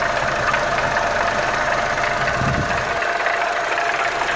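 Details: Audi 1.8 turbo engine at idle: steady idle with a light, fast ticking running through it, source unknown. Oil quality has been suggested; a part also shows an air/oil (PCV) problem. Cause unconfirmed.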